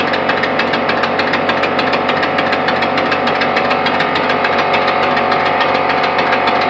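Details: Small steam/air piston engine test-run on compressed air at about 30-35 psi, with a known air leak at the intake gaskets: fast, fairly even chuffing beats with a hissy edge at a steady pace. Running normally.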